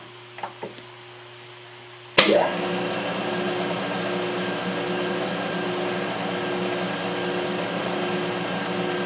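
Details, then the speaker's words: Adcock Shipley horizontal mill on its first run after an oil change (old oil full of metal bits and sludge), gearbox in low range: a sharp start, then a steady, even, quiet hum with no knocking or grinding. Possible motor-bearing roar was noted in high. Normal running. "so considering all that's happening it's pretty quiet actually"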